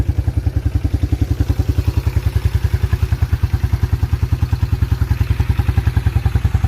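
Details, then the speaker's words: 1987 Yamaha Moto 4 YFM-350ER 350 single-cylinder ATV, after running through the gears; even thump about three and a half beats a second, steady with no misses; starts right off every time; healthy idle. "really nice running atv sounds really good that thing literally starts right off every time it's amazing"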